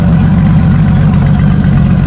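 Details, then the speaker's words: Motorcycle with 31,000 miles in 25 years, heard from outside the shed: a deep, smooth, continuous hum with no ticking, knocking or misfires; it runs strong with no engine noise. Normal idle. "You could probably hear her out there running. I'm really happy with it. I'm pleased with it. I think it's going to be a great bike. It runs strong, no engine noise whatsoever."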